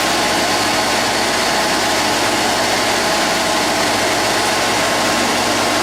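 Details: Rebuilt GM 10SI alternator on tester at full amperage output, voltage earlier 14–15 V: steady even whir with faint high whine, no grinding, rattle or bearing noise; healthy under full load.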